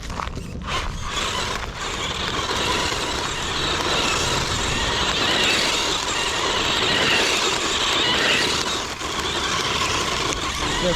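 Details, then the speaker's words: Kyosho Javelin vintage RC buggy, belt drive, new pinion, 540 motor: high motor whine with fast irregular flicking click from belt drive despite tightening; owner fears belt may get destroyed, cause unconfirmed. "ng in a high torque 550 14 turn with that clicking sound. I fear it's just gonna rip this thing apart."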